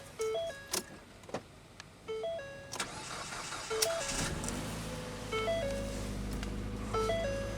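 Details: Extreme cold start at four degrees (-3 wind chill) after an ice storm, Ford Fiesta with roughly two-year-old battery: warning chimes, quick crank, catches at once and settles into a steady even idle; healthy cold start.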